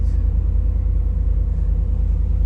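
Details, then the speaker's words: 1990 GMC 350 TBI V8 idling after a fix for rough running, vibration and a misfire on one cylinder: deep, steady idle with an even low pulse and no skips, a normal V8 idle. "yeah doesn't sound bad anymore"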